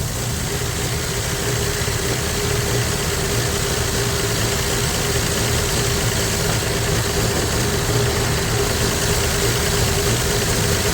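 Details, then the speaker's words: 1965 Plymouth Valiant 100 slant six, first start in years after sitting, oil light not on, owner guesses oil is flowing: even, steady idle with low rumble, no rattling or knocking; idling nice, normal idle. "Woo! Well, that's awesome, man. Well, that sounds good. That's idling nice."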